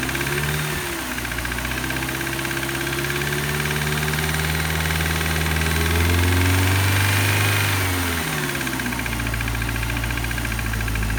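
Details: BMW M43TU after rebuild (new crankshaft, pump, gaskets, oil jets; connecting rod reused): regular knock about four per second appears only under load at higher revs, disappears with cylinder 3 plug removed; owner suspects bearing or wrist pin.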